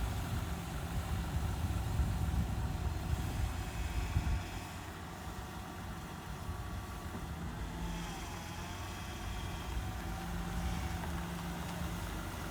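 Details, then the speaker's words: 2000 Ford Ranger XLT revived after long sitting, with brakes restored, before a test drive: steady low idle with an even, unhurried beat and no knocks or squeals. Running smoothly. "Well, we do seem to have brakes now, finally. The truck is running good."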